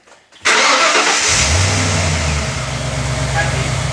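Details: Ford AU XR8 Falcon V8 after fixing a belt squeal above about 2,000 RPM (new tensioner pulley, then a drop of oil fixed it) and reconnecting a bad connector: brief crank, catches cleanly, smooth even run, no squeal; normal start.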